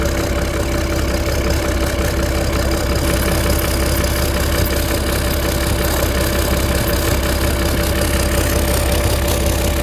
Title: starboard engine exhaust leak between head and turbo